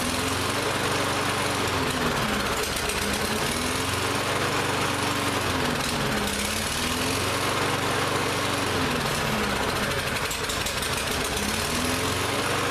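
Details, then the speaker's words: Lawn-Boy mower that ran last season but wouldn't start this season, after repeated start attempts: speed surges up and down about every four seconds, rough hunting; carburetor believed still partly gummed up. "so we've gone from a no start condition to it runs it doesn't run well so that tells me that carb is still a little gummed up"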